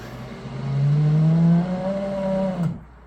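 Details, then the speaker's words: Automatic boat bilge pump in a tank under a sink, about a year and a half in near-daily use: motor hum rises in pitch as the tank empties and load drops, then cuts off cleanly; normal operation. "But when it fills up, that's an automatic boat bilge pump. So once water goes into it, you hear it draining here. Water's draining. And it's going to empty out that tank."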